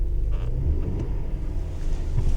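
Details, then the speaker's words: Repossessed truck at an auction lot, started and revved in place: a deep, flat rumble that barely rises when the throttle is pressed. It bogs with very laggy throttle, a possible misfire and smoke from the tailpipe; cause unknown. "see that's me pushing on the accelerator hold on there it goes no it bogs interesting"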